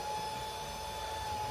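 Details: Tamil mixer grinder after its faulty 1-2-3 speed switch was replaced, run with the coupler fitted as a test. Smooth, constant motor hum with a steady high tone, no stutter or cutting out; normal motor run.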